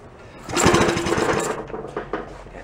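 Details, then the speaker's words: Antique Briggs small engine, rope-start attempt after carb and gas tank work, choke open: about a second of quick chattering cranking that dies without catching; raw fuel pouring from carb bottom, tapping the bowl stopped it; flooded engine won't fire. "Pushing raw fuel out, flooded. Tapped on the bowl and it stopped. I think it might be fairly flooded."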